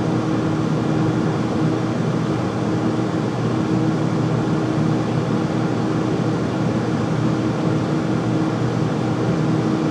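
Loud, steady roar with a constant mid-pitched hum over it, no change across the run; the furnace is running noisier than it should.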